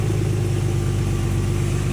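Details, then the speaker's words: Porsche 911 started with the exhaust silencers removed, after being jump-connected to a van: loud, deep, fast-pulsing unmuffled idle with a bark; engine running normally without silencers. "a lot of people in the comments actually said, why don't you just start it without the silencers? So we're going to do that now."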